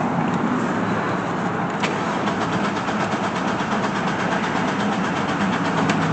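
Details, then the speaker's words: Chevy Blazer ZR2 left stranded about a year, spark present but no fuel at the engine: starter cranks steadily, about three beats a second, without catching; fuel pump heard running but no fuel up front yet; cheap in-tank fuel pump suspected. "still no fuel huh come on come on all right i don't know i could hear the fuel pump going now still no fuel up here though"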